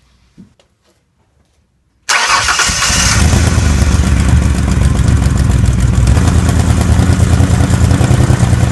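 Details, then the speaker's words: 2004 Mercury Monterey 4.2 with codes P0300–P0303, P0316, P0171 and P1270, started with the oxygen sensor removed to relieve suspected catalytic converter back pressure: short crank, then loud uneven lumpy running, about three beats per second. Misfire persists; front of cat likely melted. "I'm going to try to start it up with the oxygen sensor removed. Maybe it'll relieve enough back pressure to see if the misfire went away."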